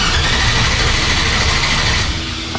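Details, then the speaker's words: 1957 Chevy Bel Air with LS-swapped 5.3 and 4L60, unknown fuel level: engine catches and roars briefly, then fades and dies within a couple of seconds; stall from running out of fuel, runs after gas added. "or is it just out of gas because we have no idea how much gas is in it that could be it"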